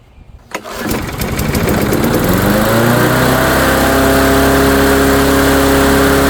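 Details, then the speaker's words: Dynamark lawnmower with Briggs & Stratton engine, after a few pull-start chuffs catches and climbs to a high steady buzz, overspeeding while smoking heavily; throttle appears disconnected or stuck, suspected. "Oh boy. Well, she's smoking like a chimney, so what I'm gonna do is I'm gonna let the smoke burn off. Nope, nothing. I don't like it running that fast though."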